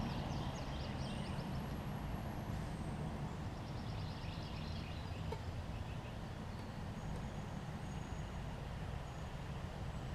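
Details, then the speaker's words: Coleman 1500psi pressure washer, Tecumseh engine fitted with donor carb from junk engine: low steady drone at even speed, no misses or surging while spraying; running smoothly. "I mean this 1,500 psi so it's not gonna be the most powerful washer in the world but as you can see it does have a little bit of power to it"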